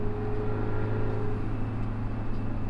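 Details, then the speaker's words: Detroit 4-53TIB two-stroke diesel running after a turbo swap from a Garrett T04E .96 A/R to a .81 A/R exhaust housing, exhaust clamp tightened: a deep, steady, even drone with a faint turbo tone on top, no knocks or misses, and the smoke haze roughly halved. "it sure sounds nice you can hear a bit of the turbo more now yeah that's pretty nice"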